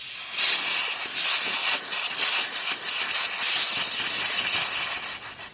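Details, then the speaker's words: Toyota JZX100 Chaser, 1JZ VVT-i with G25-660 turbo on a stock ECU (MAP-based): a loud airy hiss rises and falls with each throttle blip. Boost is leaking, likely hurting spool and behind the squeal-like turbo sound. "because when you have a math car it's reading the air that comes in so if you're losing air it's not good"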